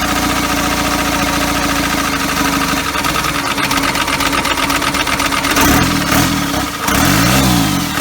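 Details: First start of a first-ever diesel engine build on custom motor mounts, at night, needing extra fuel: catches and settles into a slow, lumpy, labouring idle; idle speed way too low.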